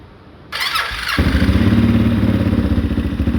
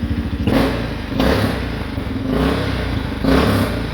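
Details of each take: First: 2013 Honda Rincon 680 ATV, first start after a new cam replaced one that seemed locked: a rough crank, then the single fires and settles into an even, steady thump at idle, running normally. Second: 2013 Honda Rincon 680 ATV, first run after a new cam: single-cylinder thumping and rev blips with a puffing, blowing hiss on each exhaust pulse; possibly an exhaust leak at a stripped clamp that could not be tightened.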